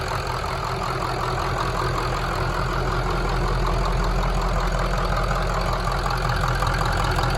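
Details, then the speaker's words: 2003 Ford F350 with swapped-in 2006 6.0 Powerstroke diesel, first start after the swap: steady, quiet, smooth idle clatter with no knocks or misses after slow high-pressure oil pump build-up; normal idle. "go Hood sounds good she's quiet smooth"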